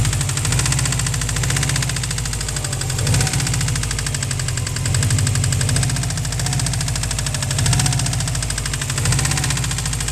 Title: 03 WRX Rod Knock/Spun Bearing Noise